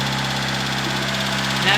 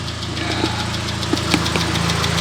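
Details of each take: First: Proton Satria first start after rebuild, lifters removed and fully cleaned, oil light already off, no coolant yet, smoking: fast light ticking over a steady, slightly high idle; drained lifters clatter until oil pressure refills them. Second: Proton Satria after the radiator was refilled, warmed to operating temperature: steady, even idle with fast light ticking and the radiator fan whooshing on; healthy normal idle, though a coolant leak at the throttle body remains.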